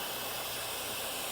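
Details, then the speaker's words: 6V92 Detroit diesel truck: a continuous sharp hiss of air escaping from a gasket, apparently bad, which appears only when the park brake is set. "I guess the gaskets bad it wasn't any air coming out of it before but whenever I set the park brake air comes out of that"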